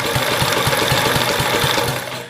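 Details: Kohler K181 single-cylinder engine cranked on the starter, throttle not fully open in case the governor fails. Quick, even chuffs of about four a second never catch. The governor kicked back, so it works, but there is still no start.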